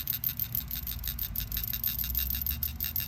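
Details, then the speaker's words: New PCV valve for a 2014 Toyota Camry 2AR-FE with oil consumption, shaken by hand: quick, light, even clicking, about eight rattles a second; it moves much more freely than the old valve, which still moves some. "so here's the old PCV valve one two two four Three Sixty twenty you can hear it still moves some but this is the new PCV valve one two two four Three Sixty twenty"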